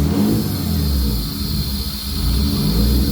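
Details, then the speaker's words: Nissan 240SX with RB20 swap, turbo seals suspected worn, running with temporary intercooler piping: engine revs with a hollow sucking hiss at the intake because the idle control valve is not yet hooked up; otherwise runs fairly smoothly. "So, the idle control valve isn't hooked up yet. So, that's what you're hearing sucking."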